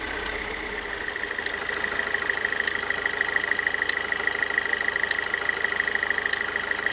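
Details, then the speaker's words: Pontiac Solstice with no stored codes, warm idle, before fuel pump replacement: a light steady ticking with a faint high whistle above the hum. This is the normal high-pressure direct-injection fuel pump noise. "you know, it should sound like this nearly all the time when it's at idle. We're not going to know that until it's all warmed up."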